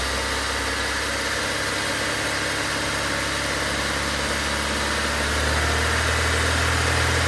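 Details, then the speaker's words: Honda Civic after track day with suspected knock, mic inside car: smooth, even idle with steady low hum and no tapping or knocking; bottom end sounds healthy; normal idle. "sounds pretty good to me"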